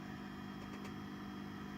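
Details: Fender Super Sonic 22 amp idling with reverb cranked, after reverb tank rework but before replacing a suspect noisy, microphonic 12AX7 in V4: steady low hum with thin hiss, excessive reverb noise.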